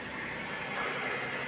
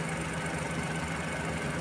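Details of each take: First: Suzuki minivan with D63 engine, earlier misfiring on cylinder 2 with a check-engine light. After adjusting valve clearance and refitting the head cover gasket, the idle is smooth and even with no missing beats, and the check-engine light is off. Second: Suzuki minivan with D63 engine, spark plugs and ignition coil replaced and injector tested fine: rough, uneven idle with a stumbling throb and knocking shake, body vibrating with A/C on. Intermittent check engine light and cylinder 2 misfire, fixed by correcting valve clearance.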